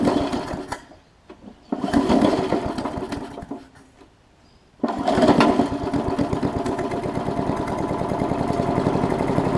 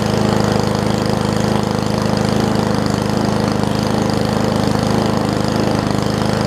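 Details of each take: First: Briggs Classic engine from sat-out Murray push mower, compression good but oil soaked in plug and cylinder: sputtering pull-starts and stalls, then catches and chugs unevenly with lumpy beat, expected to smoke while burning off the oil. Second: Old Murray push mower with a Briggs Classic single-cylinder, oil topped off. It holds a steady, even fast idle with no misses or surging and runs okay, though the throttle appears to be missing its governor spring.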